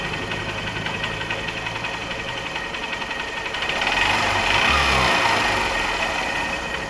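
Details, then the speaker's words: Honda CB Shine after repair for white smoke and oil loss, with new cylinder block, timing chain, valve seals and gaskets, piston not bored, fresh engine oil: steady even idle with light valve ticking, no external noise; normal idle. "तभी इस तरह का sound है इसमें, ऐसा बाहरी कोई भी साउंड नहीं है इसके अंदर।"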